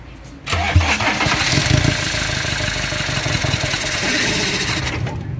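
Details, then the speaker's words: Iveco 35S14 turbo diesel with the air filter-to-turbo intake hose left off: catches and runs unevenly a few seconds then dies, possibly from missing airflow; the diagnostic scanner shows no fault codes. "falha não apresentou nenhuma falha mas o carro está morrendo Possivelmente porque tá faltando o fluxo de ar né"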